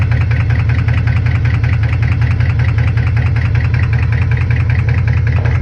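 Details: Chevrolet Camaro SS V8 at idle: loud idle with an even ticking knock about two and a half times a second; owner unsure whether rod knock or lifter tick.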